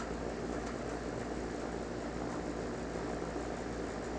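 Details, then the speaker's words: HVAC condenser after cleaning coils and fan blades, heard during maintenance from startup: steady, even fan rush over a low compressor hum, no rattles or knocks; sounds normal before checking R-410A pressures. "So what I'm doing now, everything sounds normal, and so what I'm doing now is I'm just checking the pressures, making sure that they are where they need to be."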